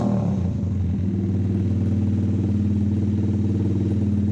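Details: Custom drift trike with a 125 single-cylinder engine and a newly finished exhaust and muffler; deep, steady thumping idle with an even beat and throaty note, no knocks or rattles, a healthy-running small single.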